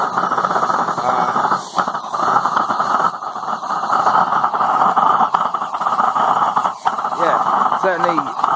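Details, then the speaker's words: Homemade micro waste-oil forge burner with the oil/air mix preheated, a needle-valve metered feed and an enlarged flame tube, warmed up: a steady even roar with no sputter. No cold spots remain and all the fuel burns nicely. "getting no cold spots underneath the burner anymore all the fuel's burning nicely"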